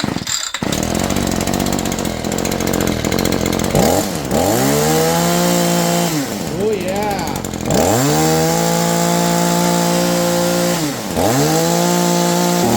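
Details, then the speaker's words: Shindaiwa SH262 two-stroke hedge trimmer after de-carboning the exhaust port, previously not reaching peak RPM: repeated crisp blips to full revs, clean high scream without bogging; runs like new. "man she runs like a new machine guys"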